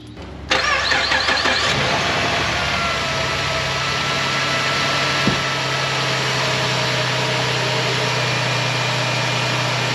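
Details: Ford Transit 350 3.7L V6, first start after replacing noisy water pump, serpentine belt and tensioner, coolant refilled: cranks briefly, catches cleanly, settles into smooth steady idle with no knocks or squeals; normal after repair.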